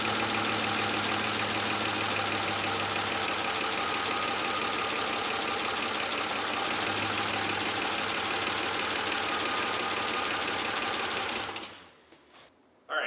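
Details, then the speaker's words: Ford 5.4L 3-valve engine with scored bearings, before oil pump kit install: loud metallic clatter about three taps a second over the idle until shutdown; clattering 5.4 issue from low oil pressure starving the top end. "Our first project is this has got the clattering 5.4 issues."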